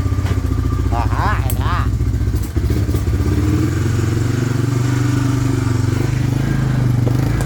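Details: 1998 Honda 300 4x4 ATV, sitting for years, running after a Honda Foreman 450 carburetor was installed and the gas tank vented; steady single-cylinder thump with light patter on top, no stumble or miss, no smoke. Normal running; later stalled, CDI suspected.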